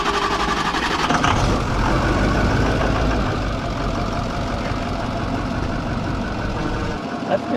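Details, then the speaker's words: Broken-down bus, starter solenoid jumped with a screwdriver: heavy, dragging slow uneven cranking, then the engine catches and keeps running; starter struggling, suspected failing and needing replacement. "okay so I believe you got problems with starter I would shut it off I'm not going yeah don't shut it off but she needs a starter okay all right so it didn't want to crank it"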